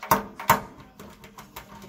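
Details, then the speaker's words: Miele T9800 vented tumble dryer motor turned by hand: sharp clunks each revolution as a worn-down carbon brush hits a screw head; fixed by replacing both brushes. "What's happening now is it's starting to hit on here, and as it goes around, you can hear it go clunk, clunk, clunk. Every time it goes around, that thing hits it."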